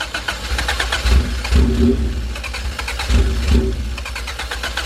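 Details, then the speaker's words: EF sedan with OBD1 injectors and the resistor box deleted, fresh gas added: starter cranks, engine catches briefly twice and dies each time as if out of fuel; pump audible, owner suspects low fuel pressure and a failing fuel pump. "see it's wanting to freaking start but it's acting like it's out of gas bro and I just put gas in it"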